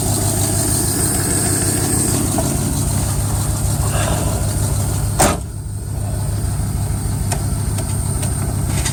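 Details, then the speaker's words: 1980 Camaro V8 at idle after a computerized fuel-injected carburetor install, exhaust leak still present: lumpy idle with faint irregular light metallic ticks from the flexplate touching the starter gear, left unfixed as harmless. "that sound is the flexplate touch in the starter gear so nothing important I can't fix but it's okay"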